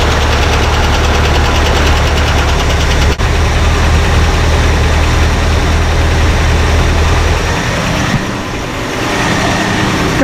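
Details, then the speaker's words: 1978 Dodge Ramcharger V8, just started after 3–4 weeks sitting following a water pump job: a heavy, steady idle with a faint quick tick on top; owner suspects a bled-down lifter, unconfirmed. Ticking at idle. "chick that it didn't have before which i think might be a lifter maybe that bled down i'm not sure what else it could be"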